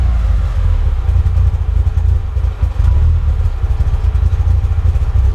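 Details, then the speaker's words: Mitsubishi EVO first real startup: idle hangs high around 1,500 rpm then sags slowly and rises again without throttle, no check engine light; hunting idle, cause not found. "So yeah, seems to be a problem with the idle. Goes back up again. So idling at 1,500 RPM, going up. Yeah. Just doesn't seem to want to keep a proper idle at all."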